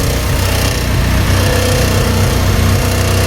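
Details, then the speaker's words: Honda Civic revived after sitting several years, new spark plugs, still on a turbo-tune ECU: steady, even low putter with a smooth regular firing beat and no misses or knocks; idles cleanly. "Idles pretty good. So, I guess I got the plugs correct."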